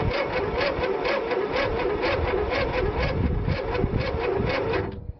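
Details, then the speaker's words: Simplicity lawn tractor cranked in the cold with little fuel: the starter turns slowly at about four pulses a second with an uneven, lopsided beat before stopping. One cylinder has good compression and the other is low. "so we've got one cylinder that's got good compression and one tha"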